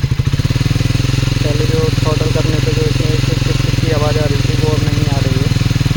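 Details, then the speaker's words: Triumph Speed 400 back from the dealer after engine-noise (shim) repair, started after long standing with slow self-start: even, steady idle thump without ticking or rattling. Normal idle, noise appears resolved so far. "अभी तो फिलहाल के लिए मुझे कोई issue नहीं लग रहा है बाइक अपनी ठीक चल रही है"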